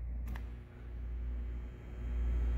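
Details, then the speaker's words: Single-phase washing machine motor on live test power: steady low mains hum, twitches slightly but never spins up. Tested start winding is burned; motor hums and fails to start. "okay so when you give it power it'll kind of move a little bit and start humming let's see that"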